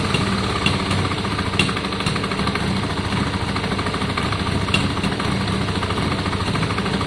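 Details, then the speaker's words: Yamaha Virago 535 V-twin after carb clean and re-jetting: strong, lumpy twin-cylinder beat that pulls steadily with no spitting or stumbling. Healthy after the carb work. "oh i think that sounds better right wait let it warm up"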